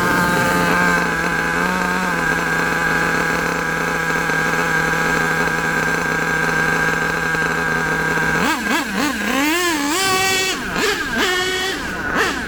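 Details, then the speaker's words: HPI Savage nitro RC monster truck with LRP ZR32 engine, high-speed needle tuned: steady high-pitched scream, clean blips without sagging or stumbling; normal running. "That high-speed needle, in my opinion, is pretty good now."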